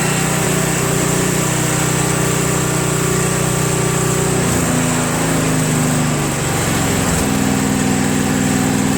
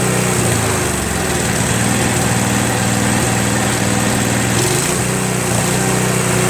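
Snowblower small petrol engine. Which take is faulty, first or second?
second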